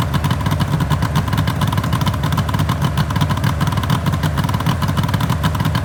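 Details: 1974 Suzuki GT750L two-stroke triple (Water Buffalo/Kettle), first start-up after rebuild from cartons, battery 12.6 V: busy crackling burble running steady and even, no knocking or rattles; normal running.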